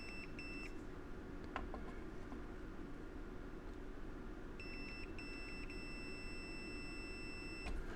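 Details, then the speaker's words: Multimeter continuity test on a hot tub control board relay (the tub won't heat past 84 and the pump won't stop): a clear, continuous high tone across the contacts shows this relay is good. "So it should beep. There we we go. So it's beeping."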